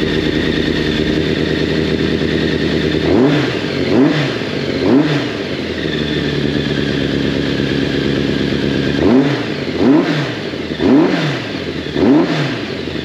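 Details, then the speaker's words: Yamaha FZ750, 1986, carbureted 20-valve inline four, first start after long storage via TOPDON JS1200 jump starter, chokes full on: uneven idle with light ticking clatter, blipped about once a second; valve noise after long storage. "que ça fait un bon moment qu'on n'avait pas démarré vu le temps quels amis et puis le retour des soupapes"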